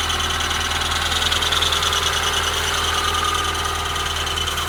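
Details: Honda Prelude BB3, cold engine at idle: thin high squeak of constant pitch not following engine pulses, lasting until working temperature is reached; source unknown.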